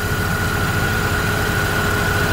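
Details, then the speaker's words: Opel Astra G after replacing a faulty V-ribbed belt tensioner and belt, idling with AC and fan at maximum: steady, even idle with a smooth hum and no chirp, squeal or tensioner rattle; the repair fixed it. "Tôi đã nghe thấy rằng im lặng là mọi thứ đang hoạt động hoàn hảo đai mới"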